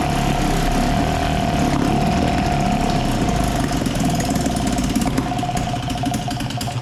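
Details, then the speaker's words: 1956 Firestone 3.6 hp outboard, first run after sanding the points and priming gas down the cylinder: small two-stroke buzzing at a fairly even rate, no misses or knocking; running normally. "well as you saw we got her going which I'm really happy about because that means I can do a restoration video on this"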